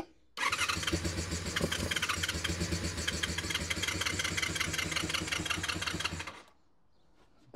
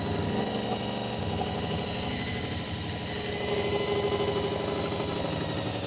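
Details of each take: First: Honda VFR400 NC24 motorcycle V4 after stripping, cleaning and rebuilding blocked carburetors, started on a booster pack; brief crank, catches and runs with a fast, even beat about six seconds, healthy start, carbs not yet balanced. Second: Honda VFR400 NC24 motorcycle with blocked carbs, after strip and rebuild: while balancing the carbs to the lead carb, steady multi-cylinder idle climbs in pitch and loudness as each carb is turned, so the idle must keep being turned down.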